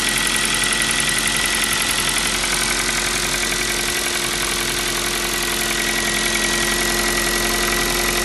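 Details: New Kia Rio 4 with 1.6 engine at idle: hollow rapid knock, roughly 220 beats a minute, under a hissy engine note; piston slap, the same sound the Kia Rio 3 had.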